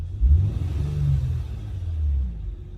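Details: Acura TL petrol V6 after its cylinder 1 spark plug was replaced for a misfire that caused stuttering and power loss. It now revs smoothly with an even rumble, though the code reader still shows a misfire.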